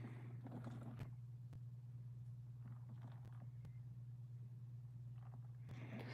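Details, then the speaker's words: CEN MT Spec 3.0 RC truck with metal-on-metal gears: steady low drone with fast uneven metallic chatter, suggesting poor gear mesh; bent chassis considered but owner doubts it. "And I mean, that's a metal-onmetal gear. Listen to that. If that wasn't meshing good, you all heard that sound before."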